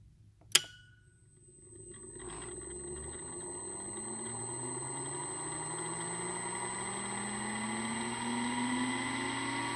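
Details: TVT smooth smart motor with spring-applied brake: a single sharp click as the relay powers the brake and it releases, then the motor smoothly ramps up in pitch and runs evenly; brake working normally.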